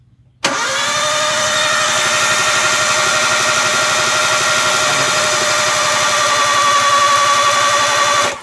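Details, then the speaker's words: Toyota Avanza after engine overhaul, cranking with spark plugs removed and no compression to build oil pressure before first start: fast even starter cranking, about four pulses a second, no firing. "jadi kalau kita staf kosongan kayak gini tadi tanpa bus itu panenteng tanpa kompresi meskipun kita sepanjang n aja ya guys"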